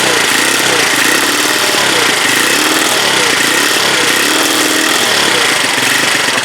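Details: Huoniao HN125 single-cylinder after engine installation and idle screw adjustment, run off a jump pack: quick, even putter at idle with steady beat, no tapping or misses; running smoothly.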